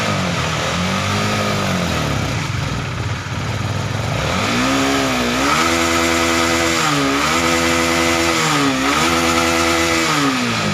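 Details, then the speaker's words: Honda CBR150R fuel-injected bike stuck at 2000 rpm, during fuel-system purging at 42 psi with HDS scanner: revs swell and sag about every second and a half, hunting and stumbling; suspected injector clogged by carbon or fuel-pump filter debris, unconfirmed. "Masih terasa tersendat ya. Ini jadi kemungkinan besar ini kasusnya ada di injektor ya. Jadi injektor ini tersumbat kerak karbon atau kotoran yang dari filter fuel pump tadi ya."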